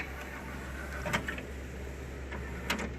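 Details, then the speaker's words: Stereo CD player with no disc, after cleaning and belt cleaning: a couple of short mechanical whirs and clunks as the tray drives in and out, with no sticking; the loader now works normally. "the loading mechanism it's not getting stuck anymore so that's a good sign"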